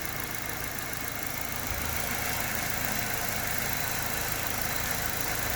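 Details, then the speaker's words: LPG-converted car after fixing poor contact of two field wires inside: steady, even idle with a smooth low hum, no stumble or shaking; normal idle. "차량 떨림도 전혀 없고, 이 안쪽에 필드선 2개가 접촉 불량이었습니다."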